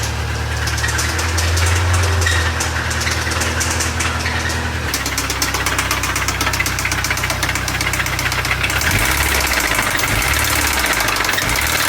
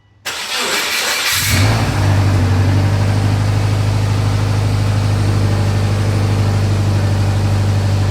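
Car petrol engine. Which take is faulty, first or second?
first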